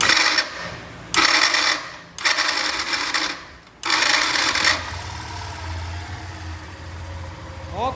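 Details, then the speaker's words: Starter motor noise on a Yamaha Factor/Fazer/Crosser 150 (also Factor 125): four short cranking bursts with harsh metallic rattling whir before the engine catches and idles; chronic fault from worn starter gear and bearing, fixed by replacing the starter motor, not the brushes. "Quero compartilhar aqui com vocês aquele defeitozinho crônico, né? Nessas factozinhas 125, Phase 150 e Crosser. Ó o barulho do motor de partida."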